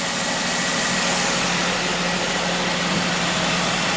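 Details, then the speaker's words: Wrecked 2017 Jeep Wrangler after new oil pan and replacement fuel injector, first start: steady, even idle with smooth low hum, no knocks, misses or rough idle, no check engine light; slight exhaust leak suspected from accident. "No odd noises, no rough idle, which is what I was doing before. No check engine light."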